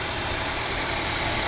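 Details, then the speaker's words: Mercedes-Benz CLA W117 with coolant loss, leak at front and Top Up Coolant warning: loud steady hiss-like whirring at front of engine over rough idle, like a bearing; water pump bearing noise suspected. "ดังน่ากลัวมากอ่ะเนี่ยเดี๋วออกมาตเหมือนปั๊มน้ำเลยครับดังอยู่ตรงเดังน่ากลัวมากเนี่ยดังหน้าเครื่องเสียงหอลูกปืนเลยนะเออเหมือนปั๊มน้ำเลยน่าจะนี่มั้ง"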